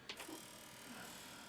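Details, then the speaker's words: 1991 Yamaha SY77 synth, Mitsumi floppy drive, trying to format a disk: quiet rasping ratchet-like grind with a few sharp clicks at the start; drive struggling, owner suspects a faulty drive. "I don't know where you can hear that horrible noise that's the disc drive trying to work so this something wrong with the disc drive"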